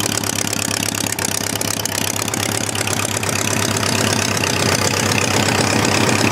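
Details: Homemade four-cylinder Briggs & Stratton engine after starter/generator replacement, having sat all winter: a busy, steady patter at constant idle with no misses or surges. Cylinder temperatures are being checked with a temperature gun. Normal idle.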